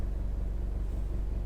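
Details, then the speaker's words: Honda EU2200i dual-fuel inverter generator running inside truck camper compartment, heard from inside the camper: deep steady drone with faint buzzy rattle from the enclosure; generator itself running fine. "But there is a drone and a rattle to it while it's running inside the compartment."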